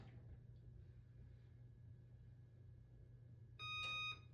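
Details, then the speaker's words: Whirlpool Duet dryer bought in 2015 that suddenly stopped working: pressing start gives one short beep and a click but no motor or drum turning; the control board is suspected bad. "nothing happens. Nothing happens. Okay? Try it again. Nothing happens. Turn it off. And then turn it back on. Nothing happened, it just clicks."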